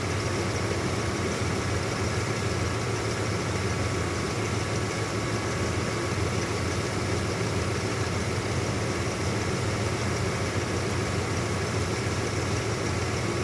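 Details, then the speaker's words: 1996 Ford F-150 at idle after a bad A/C low-pressure switch was replaced and R-134a plus oil added: the compressor clutch now engages, with an even idle drone and a steady hum, no chatter or cycling. Air is blowing colder. "Also, if you're paying attention to that clutch, you're seeing it now engaging and running because the more 182 95A that gets into it, as well as the oil that I put in, it's freeing up and engaging."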